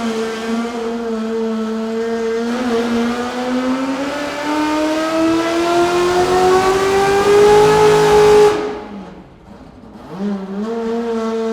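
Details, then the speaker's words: C8 Corvette with freshly refreshed engine, Link ECU being tuned on dyno (throttle blade opening rate, ignition timing), Borla exhaust: full-throttle pull climbs smoothly and linearly, screaming all the way up with no dips or stumbles that were heard before tuning. "You can actually hear it in the pull. It sounds linear, screaming all the way up and before you would hear these dips throughout the power."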